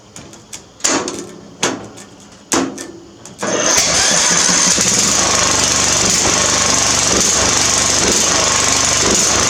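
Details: Murray riding mower that won't start on the key, hotwired straight from the battery to the starter with a little gas in the carburetor: several short starter bursts, then a continuous loud, fast churn; cause suspected, not confirmed.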